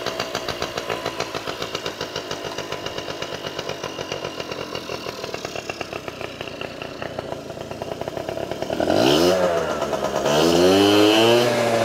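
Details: Rare 1994 Honda EZ90 Cub revived after sitting, with fresh fuel and carb cleaner sprayed in the intake: the small single putters steadily with an even beat for several seconds, no misses or knocks.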